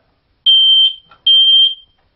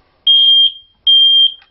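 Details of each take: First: Smoke detector test: pressing and holding the test button gives two loud, piercing high-pitched beeps of about 0.4 s each, showing the detector works; occasional chirping instead indicates a low battery. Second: could go off and off and off and never stop. And the reason for that is two. Number one, it is doing its job.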